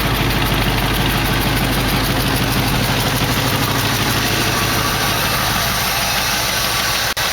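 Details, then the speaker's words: 1968 AMC AMX V8 after carburetor work, transmission fluid found low: rough loud idle with quick light ticking following engine speed, a noisy lifter that is improving only slightly and hasn't fully pumped up. "that lifter don't seem to be getting any better maybe a little that's pretty good"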